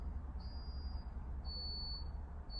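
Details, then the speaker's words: London double-decker bus (tagged Alexander Dennis Enviro400 MMC): the intermittent warning beep over the low engine rumble has changed tone, now an octave lower, with steady half-second to one-second beeps. The fault is unknown. "It's changed tone. It's got an octave lower."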